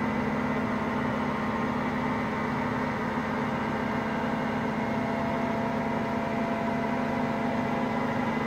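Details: Hotpoint Aqualtis washing machine, drum bearings just started to fail today: continuous low roar with steady hum, no knocking; early worn-bearing rumble.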